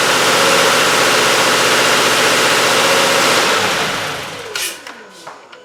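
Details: 2017 Subaru Outback, 59K miles, cold start after sitting overnight: sharp, rapid clatter of about four per second fades after about 5 seconds as the drained-back oil filter fills and the chain tensioners pump up. This is before the oil filter fix.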